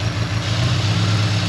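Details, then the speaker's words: Honda S2000 after head gasket and head bolt replacement, at idle: lumpy, stumbling, uneven pulses; misfire from an injector connector not staying fully seated, with a possible occasional vacuum leak suspected. "well guys definitely running not great um one of these injector"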